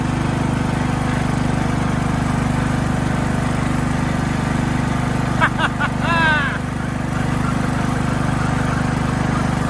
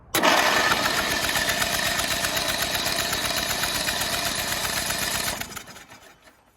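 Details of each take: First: Craftsman LT2000 riding mower, single-cylinder engine smoothed out, first drive test on a battery; smooth regular thrum with no stumbles or misses while driving. Normal running. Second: Rusty Craftsman LT2000 riding mower on booster pack: starter spins the engine at a quick even chug, about four beats a second, for five seconds, then stops without firing; cranks but no start.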